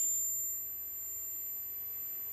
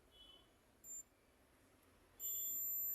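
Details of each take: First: 2006 Maruti Swift petrol with misfire complaint; multimeter on continuity between an injector wire and battery negative gives a steady high-pitched tone, which should not happen, suspected body ground or ECM power problem. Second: Maruti Swift petrol with misfire: multimeter continuity test on the ECM injector pulsing wire gives brief beep then steady tone, wire intact; ECM suspected faulty, injector still to be tested.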